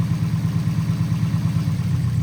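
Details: 1989 Nissan 240SX with injectors marked ID 1050 at 60% duty: low, lumpy, uneven idle with one injector unplugged, stumbling with a cylinder dead; a different injector shows no change when unplugged, so it is suspected faulty; compression passed.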